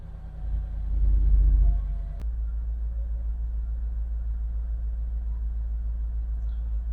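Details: Mercedes 55 AMG (CL55/SL55) V8 first start after its corrupted ECU was virginised and reprogrammed to the immobiliser: a short start-up flare, then a deep, even burble holding steady with no misses or knocks, a healthy idle.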